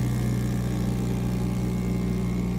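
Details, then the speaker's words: 3D mini vacuum heat transfer sublimation press vacuum pump, about 20 seconds to start working, pulling to 0.06 PA; steady even low drone, constant hum, no knocks or rattles: normal running. "It needs 20 seconds for the vacuum to start working. For the pressure of the pump, it will be 0.06 PA. After 20 seconds, it will start working."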